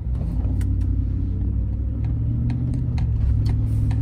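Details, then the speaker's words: Idle with an uneven lope and occasional stumbles after an hour of running and 20 minutes of driving; cylinder 3 misfire with a solid check engine light, traced to a faulty spark plug. "so i'm gonna go ahead and back and we'll see if it's misfire enough there it is took an hour of running and 20 minutes of driving cylinder number three"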